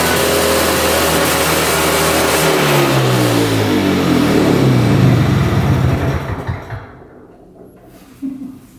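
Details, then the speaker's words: 1965 Tatran 125cc two-stroke scooter, 20 original miles, first start after sitting 40+ years: buzzy engine catches, revs up and down with rapid even beat, then stops. "but at least we got to hear it run for the first time in like 40 years and we got to drive it for a little bit"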